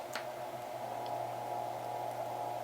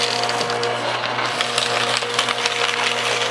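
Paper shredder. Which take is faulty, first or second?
first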